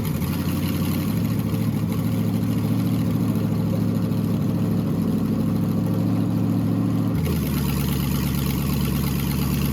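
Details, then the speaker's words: LS V8 swapped into a BMW E46, first start in chassis after shortening the harness, fuel pressure about 80 psi: steady, even deep burble settling slightly lower, no misses or knocks; healthy idle, sounds healthier than before. "I mean all we did was trim a bunch of wires back in theory so I'm glad it still works and it does sound a little healthier"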